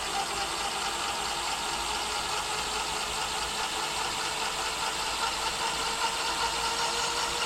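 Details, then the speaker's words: E-bike hub motor spinning up to full power after swapping in a new KT 30A controller with parameters set: even hiss and faint steady whine at top speed, no grinding or clicking; runs smoothly. "let's listen to this uh turbine noise and after this I'll put it on five level five on the display and we'll check it out okay so this is with the new controller swapped out everything situated in the right place parameter set"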